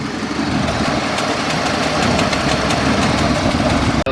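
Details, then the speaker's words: 1979 AMC Concord station wagon idling after the vacuum advance was hooked up, which cured spitting and sputtering and added a few degrees of timing: steady, even idle with a smooth low rumble, no misses. Engine running cleanly. "good. So good. It sounds great right now."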